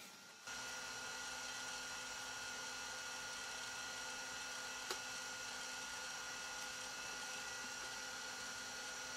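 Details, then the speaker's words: Classic Macintosh after motherboard recap, with the case's original hard drive and a mouse connected: steady high whine and even fan hiss with one soft click, no grinding or scraping; the hard drive spins up and the Mac boots normally. "Cool, booted up no problem."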